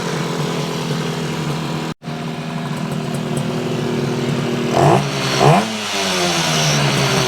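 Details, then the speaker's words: 1968 Yamaha YAS1C 125 two-stroke twin, carburetors cleaned: uneven, stumbling beat with skipped firing; the right cylinder misfires about every other stroke and runs cooler, while the other side is smooth. "it's not quite a steady fire it's a Miss fire this side's nice and smooth you get a hit every every stroke this one maybe every other stroke"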